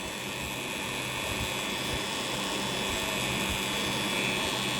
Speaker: แต่ว่าหม้อแปลงหม้อแปลงจะดังหม้อแปลงรูปนี้มีเสียงดังเนาะอืแต่ทำงานได้ปกตินะเออหม้อแปลงมันน่าจะหลวมหรืออะไรสักอย่างนึงนะครับ